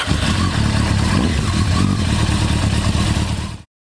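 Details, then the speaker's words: Motorcycle started after lubing the throttle cable and reassembling bar end, throttle housing with cruise control, and brake lever: deep lumpy engine note revving smoothly and evenly, no knocks or rattles; healthy. "and one last thing I always like to do after I've had that apart is fire it up just to make sure"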